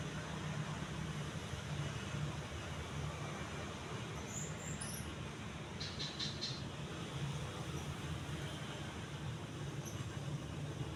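A steady, even low hum with no ticking, wobble or rubbing; the fan is running smoothly and sounds healthy.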